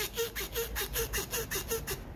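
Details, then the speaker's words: Hyundai Palisade 2.8 gasoline undercarriage noise: sharp rubbery squeak repeating about five times a second as the body rocks, from the stabilizer (sway bar) link bushing; links, sway bar and arm replaced. "그리고 하친 소음인데 영상속 처음 소음은 쪽에서 놨었습니다 활대링크 부싱 소리랑 똑같거든요"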